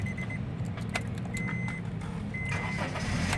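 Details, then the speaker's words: 2014 Honda Mobilio 1.5 E automatic, 48,000 km, heard from the cabin at start-up: engine catches and settles into a calm, steady low rumble under chime beeps, minimal cabin vibration; healthy engine start. "Pada saat di start itu kita coba dengarkan suara mesin dari dalam kabin. Kalau tenang dan iramanya stabil itu menunjukkan bahwa mesin masih sehat."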